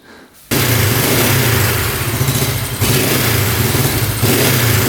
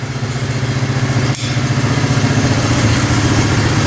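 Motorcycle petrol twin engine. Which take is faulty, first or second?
first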